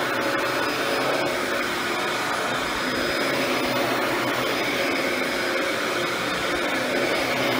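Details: Mid-2000s Dyson DC14 Animal upright vacuum after cleaning and service, suction diverted to the head with the clutch-driven brush roll off; smooth, even airy rush with a steady motor tone and no rattles or grinding, running normally.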